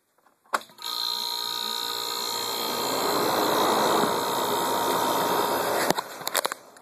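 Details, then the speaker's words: Carrier window AC, R22, 8,300 BTU, cover off, high side 300 psi, 11 amps; compressor kicks on with steady even hum and fan rush then shuts off cleanly, possibly twin-cylinder; normal compressor running. "sounds good it just kicked off because this thing would anyway yep it's a nice unit the compressor is nice good sounding i believe it's a twin cylinder or a big horse single cylinder as it sounds"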